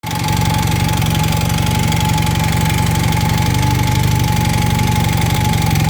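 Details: 1980 Honda CM400T twin at idle: steady idle with an irregular light ticking over the low exhaust drone, around four per second; engine noise, cause unclear.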